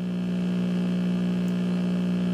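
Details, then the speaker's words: 1959 Westinghouse five-tube AM radio, 117 V, volume turned down: steady low hum that doesn't get louder with the volume knob; owner suspects the failed main dual-section filter capacitor. "hey the hum this hum right here now that you're hearing doesn't get any louder if i turn up the knob"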